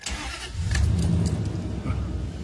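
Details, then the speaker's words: 2001 Dodge Dakota quad cab AWD at 151,291 miles, just fitted with a new size 27 battery replacing a failed Interstate: a brief crank catches almost at once and settles into a steady low idle. A normal, quick start. "you hear how quick that started? That's quick. Wow. I don't think I've ever started that fast in a long time."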